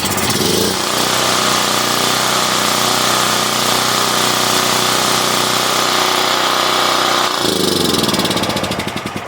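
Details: Generac Powermate PMO126000 6000/7500 W generator after carburetor repair, test run at full choke with air filter off: quick start, steady even drone with no knocks or misses, then shuts off; runs healthy.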